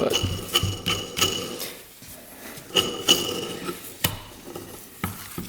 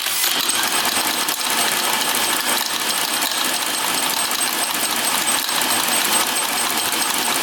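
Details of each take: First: 1940s Villiers-engined motorcycle, engine turned slowly by hand with crankcase open: irregular dry clicks and gritty scrapes each turn, barely improved by lubrication; crankshaft main bearing worn out, rod bearing shows slight play. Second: 1940s James ML 125 motorcycle, unrun auction find, engine turned by hand with plug lead checked in the dark: sharp uneven snapping crackle about ten seconds; magneto coils still good, strong spark.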